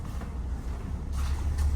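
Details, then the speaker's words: Lexus LS430 on a lift with a driveline shake, bought sight unseen: low droning rumble from one spinning wheel that swells and fades every half second, unlike the steady other side; little lateral runout; suspected wheel bearing, carrier bearing or differential bushing wear. "and you can hear it go in and out. Lateral run out a little bit, none."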